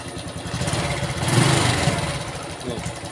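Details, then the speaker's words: Honda Revo FI fuel-injected motorcycle, owner complaining of rough noise: rough idle with fast, uneven metallic "krecek" clatter from the left side; mechanic suspects worn camshaft (eccentric) and rocker roller, to replace the roller or the camshaft if badly worn. "na suaranya Tuh udah krecek krecek krecek krecek jadi kita sebagai mekanik tuh harus tahu harus ngerti motor itu suaranya begini yang rusak ini suaranya begitu yang rusak itu"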